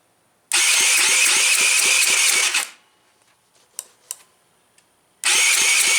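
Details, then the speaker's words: Tao Tao engine cranking with spark confirmed and no muffler fitted: a harsh, loud rasp with sharp pops about five a second, the plop-plop sound of an unsilenced open exhaust. "So far, I don't have the muffler on it, so if it does start, it's going to be loud. That's what that plop plop plop noise is."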